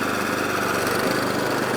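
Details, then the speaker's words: Atco Balmoral 14SK with Kawasaki FJ100D engine, after carburetor clean: even steady drone with blade chatter while cutting, no misfire or hunting; running cleanly under load. "Oh, it's cutting lovely. Oh my god, it's cutting lush as it should do."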